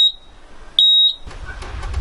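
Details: LS XR3135 tractor at 330.7 hours, stalling repeatedly since its return from the mechanic shop: two sharp high beeps with the engine silent, the dash warning buzzer after a stall, key still on, battery and engine lights lit, no codes; cause unknown.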